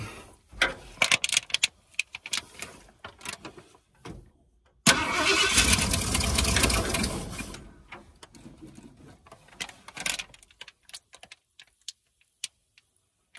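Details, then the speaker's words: 1978 Ford Bronco Ranger XLT 400 V8 after 20+ years sitting, throttle opened slightly: cranks, catches briefly with a rough sputter, backfires through the coil and dies; timing suspected slightly off. Sputtering no-start. "Backfires through the coil. may have a timing issue just a little bit."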